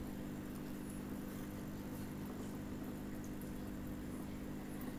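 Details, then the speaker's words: Aquarium air pump after repair with screws tightened, microphone held close: soft steady low hum with no rattle or buzz; pump runs quietly and smoothly. "ही कम आवाज़ कर रहा है ये, बहुत ही कम आवाज़ कर रही है, चल भी अच्छे से रहा है।"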